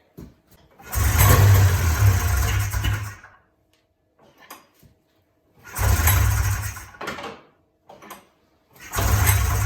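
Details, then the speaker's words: 1994 Polaris Indy 440 two-cylinder liquid-cooled two-stroke snowmobile, sat 12 years, new gasket: fires up and revs in three strong bursts, clean even note, no misfire; clutch engagement RPM unknown, seems to run pretty good. "I don't know Jack about snow so I can't tell you if that's engaging at a high RPM or not but uh certainly seems to be running pretty good"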